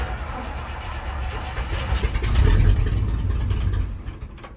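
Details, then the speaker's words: 1980 Chevrolet C30 dually with 350 small block and Quadrajet carb, first start on gas poured into the carb: it catches on a low uneven rumble, then fades and dies as it starves; no fuel reaching the filter, so the fuel pump is bad. "it should have just continued to run, but obviously we're not getting gas to the filter, so the fuel pump is bad. It's not working correct."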